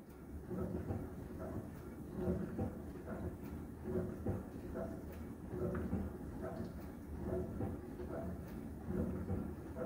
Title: Thermador Sapphire Glow Dishwasher Noises Pt 1